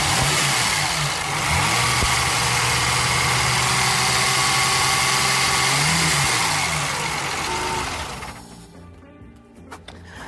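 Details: 1930 supercharged twin-cam sports racing car, with an aviation fuel pump fitted in place of the original exhauster, running: a crisp, even exhaust note that swells with a couple of blips then settles; healthy.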